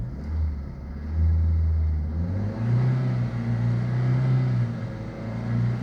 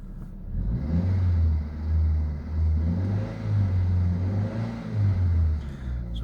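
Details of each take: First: Ford Zetec engine after valve work, held near 2000 rpm; the note surges and sags unevenly, bouncing about rather than climbing smoothly, so the revs are hunting for an unknown reason. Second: Ford Zetec engine in a Myers, after valve work, compared with earlier sound: steady low note rising and falling gently with light revs, no knocks or ticks; engine running normally, though an ABS light has newly appeared.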